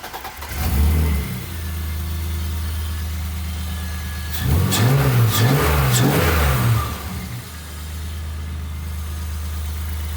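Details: BMW E30 after reconnecting the idle control valve vacuum line that had caused intake backfires: fires straight up into a steady low idle, revs cleanly and settles back evenly with no misses; a healthy start.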